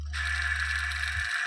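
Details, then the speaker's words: Washing machine spin-dryer motor after swapping its cracked, noisy bearing for a better used one: smooth, even hum with a faint steady high whine, much quieter than before, no grinding; new bearing would quiet it further. "นะครับเงียบลงหลายเติบนะครับเงียบเงียบเสียงจะเบานะครับตอนแรกนะครับดังยงแฮงนะครับอันนี้ก็เบาลงหลายเติบนะครับ"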